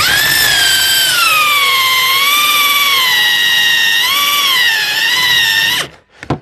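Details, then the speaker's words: Drill with a core bit meant for plasterboard or soft wood, cutting rear suspension bush rubber; high whine sags and wavers as the bit grabs, then cuts out. Overloaded by sticky melted rubber on the cutter, puffing dust or smoke. "It's just wow, it's like molten on the it's like sticky rubber residue on the cutting jaws"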